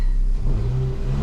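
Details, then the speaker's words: Ford Fiesta 1.25 Zetec with a misfire, restarted and revved: picks up cleanly, smooth even drone through the rev, no stumble or popping; misfire fixed. "I think by the sounds of it we sorted it look at that look look look we'll do we turn the car off wait a minute then we'll start it again ready rev no missfire we done"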